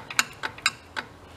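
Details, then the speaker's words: Big Joe personal electric man lift bought non-working, power connections tested directly at a terminal; four sharp metallic clicks in about a second and a half with no motor hum afterward. Contactor clicks but motor doesn't run; owner suspected a burned-out motor or corrosion. "Something's clicking. It is clicking that"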